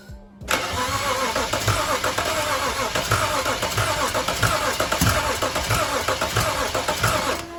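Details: Non-running BMW 335i bought unknown, fuel rail leaking fuel, brake cleaner sprayed into the intake: starter spins the engine steadily but it never fires. Cranks, no start; owner suspects a sensor, not confirmed.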